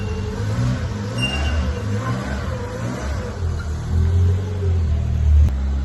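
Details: 1998 Citroën Saxo limited edition, revived after being laid up, running with no smoke: a deep, smooth engine note rising and settling with the revs, no misfire or knocking. It drives, the gearbox feels good and the engine sounds sweet.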